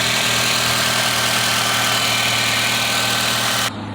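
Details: 2008 Nissan Rogue with P0300 random/multiple misfire code and check engine light on: uneven pulsing idle about four beats a second before cutting out, air intake moved during coil and spark checks; rough running from misfire.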